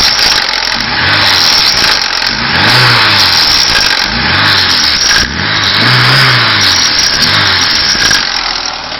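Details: VAZ 21214 (Niva) 2010, revved above 3000 rpm as heard from the cabin: harsh rattly roar building at the top of each rev; new hydraulic engine mounts did not cure it, owner suspects the single-row timing chain.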